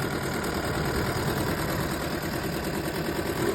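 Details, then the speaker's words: Chevrolet Cruze with misfire codes at idle: a lumpy, uneven idle with irregular stumbles. Oil from a leaking valve cover gasket was fouling the spark plug wells and coils; the fix is a gasket replacement and oil cleanup. "Today's job is there is engine running rough misfire codes and plenty of other codes. So um so let's see how this reacts. You can hear it really bad."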